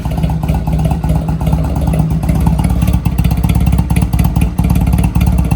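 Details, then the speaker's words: Honda Rebel 250 just started after 27 years sitting, in neutral with choke fully on: steady, even low single-cylinder thump at fast choke idle with no knocks or ticks, sounding healthy with no engine noise. "It actually doesn't sound that bad. It sounds really healthy. There's not really like a noise on the engine."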